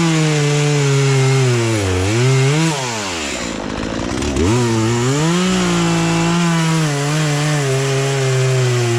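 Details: Poulan Pro two-stroke chainsaw, sat unused about three years, after carburetor adjustment, cutting small logs; crisp revs dip as the chain bites into wood and pick back up cleanly; running and cutting properly.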